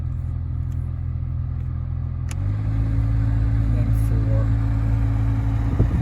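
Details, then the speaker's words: 2015 Nissan Versa Note SV, A/C blower on speed three after insulation debris was cleaned out of the blower housing: steady even whir with no rattling or scraping, a little loud but much better than before. "Three. I guess that's how it's supposed to sound. It sounds a little loud to me, but it's a lot better than it was."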